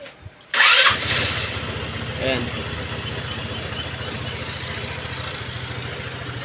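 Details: Rusi RFI motorcycle that would not run due to faulty side stand sensor (disabling fuel pump and starter button); fuel pump hums, starter whirs, engine fires at once and idles smoothly and evenly; normal start.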